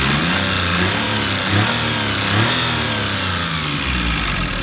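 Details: Maruti 800 DX 5-speed MPFI petrol engine at idle: uneven idle that stumbles and dips every second or so, with a couple of small rev blips; misfire at idle, cause unconfirmed.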